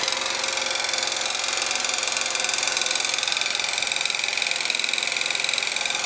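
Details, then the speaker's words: Scooter engine after replacing crankshaft, piston, cylinder (0.04 mm clearance), camshaft, chain, tensioners, variator; ignition and muffler checked: sharp ringing metallic knock about three times a second at idle. "а мопед всё равно [музыка] стучит вот такой вот звонкий к идёт из двигателя непонятно почему"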